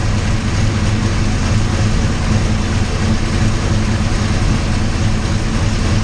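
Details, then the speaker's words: 408 Clevor V8 at cold idle after distributor gear issues were corrected, third attempt to get it running: deep steady burble with slight lope, no knocks or clatter; sounds much better, normal idle. "yeah man that sounds so much better okay so clearly clearly we had some issues of that distributor gear"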